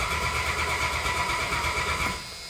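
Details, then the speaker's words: 1987 Dodge Dakota, carbureted 3.9 V6, first start after a long winter; cranked on its gear-reduction starter with the choke unset to build oil pressure. Even cranking rhythm with no galloping indicates normal, even compression. "The cranking's pretty even. I know on some YouTube channels I always talk about how you can quickly figure out what your compression's like if the starter kind of gallops or jumps. Doesn't sound like it in our case."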